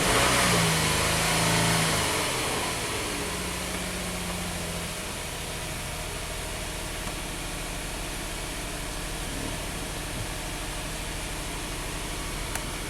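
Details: Hyundai V6 about 3k miles after a sheared camshaft pin / cam phaser repair, with low power, blue smoke, raw-gas smell and P0087 low fuel rail pressure: rough crank and flare, then an uneven loping idle, a dead cylinder. Engine misfire.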